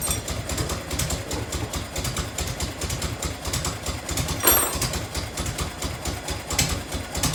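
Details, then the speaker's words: 1990 Harley-Davidson FLHTC Evo V-twin started cold on choke after reassembly. Lumpy idle with a sharp, quick ticking on each firing pulse; exhaust leak at a crooked header clamp that needs tightening or shimming. "um i fired it up last night having a couple little exhaust ticks had one in here"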